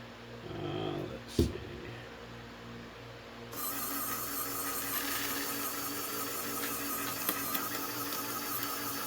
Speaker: And you kind of hear that the linear actuators are struggling a bit because for some reason my chrome rubber has got some sandy grit in it and I'm not real happy about it. You kind of hear it struggling and grinding and snapping and crackling.